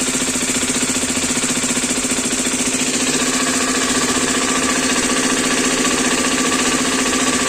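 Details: New Hero Xpulse 210 (January 2026 batch) at pre-delivery inspection: steady idle with regular tapping about three or four per second, engine knocking sound alongside an oil leak from the engine; cause unclear.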